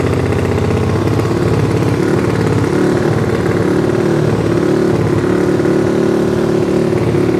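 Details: Yamaha Fino scooter rebuilt as a 200cc race engine for the 200 class, total-loss electrics with charging removed: loud, even note holding steady with crisp revs through a free-flowing exhaust, no knocks or rattles; healthy.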